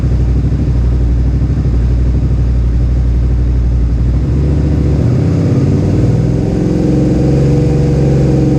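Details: Suzuki SV650S V-twin idling after carburetor synchronization, ahead of a track day: a deep, even throb with a steady lope and no hunting or stumbling. The carbs are judged synchronized enough and the idle sounds healthy.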